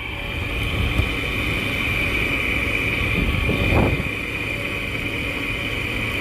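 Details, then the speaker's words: Arctic King window air conditioner found roadside: constant loud buzz with high steady hum over the running unit and one brief rattle; bearings said to be shot, loud buzzing noise. "I don't know what that noise was, but it was just buzzing for whatever reason."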